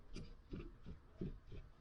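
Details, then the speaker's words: Range Rover L405 SDV8 4.4 diesel, 155000 km, hydraulic anti-roll bar; soft dull low clunks about three per second as bar is rocked, heard over bumps on one wheel. "But what's important is not the amount of play, it's the clunking you hear. When you run with one wheel over a bump on the road, that's what you hear. You hear that light clunking."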